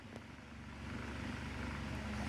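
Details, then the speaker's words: Mainstays 12-inch oscillating table fan, model TF330E, on high: heavy rumbling buzz and rattle that never settles. Severe vibration from fan blade imbalance; the blades are wobbly and poorly pitched. "this thing is vibrating extremely this is probably the worst vibrating fan I've ever seen in my life"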